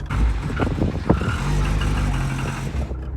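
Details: Cosworth car, warm after about 2 minutes' driving (cold it runs lumpy and cuts out off the throttle), oil and filter changed 2 months earlier: deep, steady engine note with a brief clean rev blip, no stumbling or cutting out; running properly warm.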